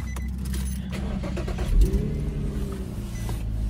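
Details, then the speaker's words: Infiniti G35, daily driven 3,000–4,000 miles since its fix, warm after a drive to work: steady, even low idle with a few key rattles on top, no misses, coolant level fine, not overheating; normal idle. "hear that engine running good there's nothing the level is perfectly fine not overheating not nothing everything's good"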